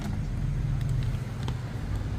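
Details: Stand electric fan at its highest speed (number three) after the full armature was replaced to cure humming: steady even low whoosh, running smoothly with no hum or rattle; normal fan operation.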